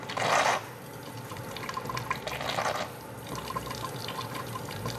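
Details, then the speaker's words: Steam injector with too little steam pressure; gurgling, sputtering surging bursts instead of a steady hiss as it eventually opens the check valve; steam injector hammering at low steam pressure. "here's that hammering effect and this time eventually it was able to open the check valve"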